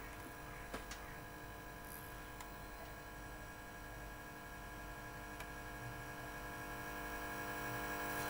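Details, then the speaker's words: 1986 ZX Spectrum +2 (grey Amstrad model) heard through a TV with the volume up: a steady low hum and faint buzz under the sound, gone when the audio connection is unplugged. Fault on the board, in the tape-deck amplifier. "volume up and you can hear you can hear the hum you can hear the dolls if I disconnect the audio connection it's all gone"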